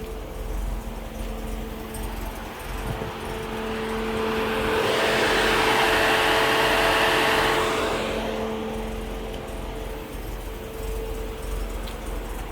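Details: 1992 Mercedes-Benz 300E cold start after sitting a few weeks: cold engine shakes a little, steady hum with a slightly uneven, lumpy rough idle; blamed on a bad fuel line or a bad head gasket, not confirmed.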